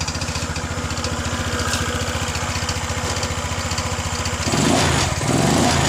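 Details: Kawasaki Ninja motorcycle restarted after flood damage: steady idle putter of about four beats a second, then a short throttle blip; runs cleanly with no misfire.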